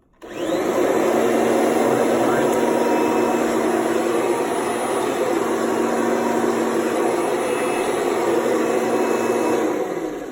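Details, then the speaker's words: Kirby Sentria vacuum after transmission repair, fork reseated over the black lever, switched on in neutral: steady even roar with constant motor hum, no grinding or knocking; works smoothly. "it works smoothly, just like that."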